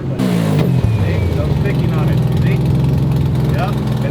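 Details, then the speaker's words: Three-rotor car with a new turbo at idle: rough, lumpy idle with a loud raspy chuff and uneven firing. A 1/8 NPT plug fell out of the exhaust gas temperature sensor port, leaking exhaust; it seems to be running on two rotors. "We also had a 1/8 NTP plug fall out of where I'm supposed to put the exhaust gas temperature sensors because I didn't get them yet because I'm a lazy sack of shit. And so the plug fell out and it made the exhaust sound like this."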